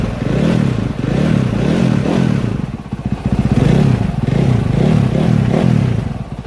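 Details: 2022 KTM 450 SXF after transmission repair (5th gear had failed), warm idle on stand during heat cycle while checked for leaks: deep single-cylinder thump, gently wavering, no knocks or rattles; normal warm idle.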